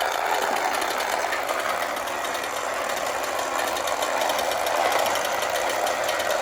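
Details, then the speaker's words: Late-1960s/early-1970s Remco Tiger Cat toy jeep on new batteries, tried in low: steady high-pitched electric whir with even gear buzz, no catches or slowing; motor and gearbox run normally. "But that's working pretty good. There's high. That goes pretty good."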